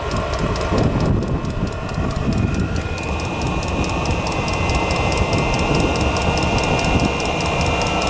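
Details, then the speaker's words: Diesel heater after oven-cleaner cleaning, run outdoors on a windy day: steady rough roar with a fast even pump tick about three per second, ragged burn, running no better than before and burning mostly outside; cause unconfirmed. Rough combustion roar. "yeah that's about running as well as it was before making up weird noise burning mostly outside"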